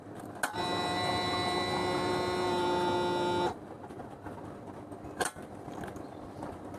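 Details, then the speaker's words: Yamaha Aerox scooter with no-sound fuel pump complaint, after rewiring pump to the ECU: steady electric hum and whine about three seconds at key-on then cuts off; normal fuel pump priming. "Pompa bahan bakar menyala dan suaranya terdengar."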